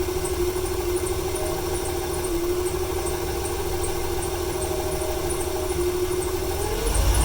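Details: 1995 300 inline six with over 400k miles, squeaky belt after rain: uneven lumpy idle stumbling about three times a second, stutters more on applying gas; misfire at idle, owner wonders if fuel or timing issue.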